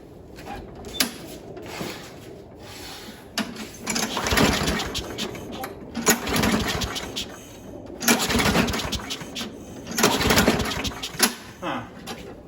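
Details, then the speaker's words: Craftsman mower with B&S 6.75 primer-style Quantum engine and new HIPA carburetor on a cold day, about 30°F: repeated pull-start bursts fail to catch. The carb isn't priming because the back plate was loose with a gap; tightening the bolts fixed priming. "It's not priming. That could be a problem. Oh, this back plate is loose. There was a gap here that I hadn't tightened down the bolts good enough."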